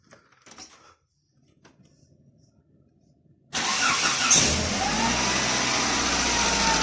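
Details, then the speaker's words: Engine started after a flush and fresh oil and filter, settling to idle with a light steady ticking of the hydraulic lifters; the flush did not cure the lifter tapping. "короче народ промывка двигателя нужного результата вернее ненужного ожидаемого результата не принесла как он тарабанил так он и тарабанит"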